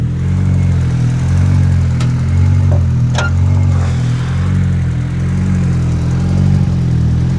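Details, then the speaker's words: Tuneless boosted turbo Honda Civic after a pull, running lean (AFR about 11) with fuel pressure low near 30: low idle surges and sags about once a second and wants to die unless revved; pulsating rough idle, cause unknown, injector swap to Y8 planned. "And look, it's wanting to die unless I get the RPMs way up there. [Music] So, let's take a look at fuel pressure and whatnot while it's while it's lean. And you can you can probably hear that it's like pulsating."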